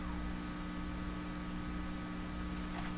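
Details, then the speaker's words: Hallicrafters SX-122 receiver during 50 kHz IF alignment with signal injected, volume full: steady low hum under even hiss; hum suspected to come from volume turned up full. "I think you hear the hum because I've got the volume turned up full here"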